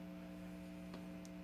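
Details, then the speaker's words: SoundSOUL 2.1-channel water fountain theater speaker just powered on, volume apparently at maximum, no music playing: steady low hum with even overtones. "okay so right off the bat i could tell that i don't like that humming sound um i don't know if you can hear that but it looks like it's on at the max volume already"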